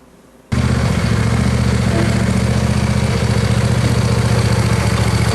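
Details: Shoal Runner jet boat engine, recovered after rainwater flooding, started on a hose: catches and settles into a rough idle with a repeating knock, about three or four a second; owner doesn't think it's the engine.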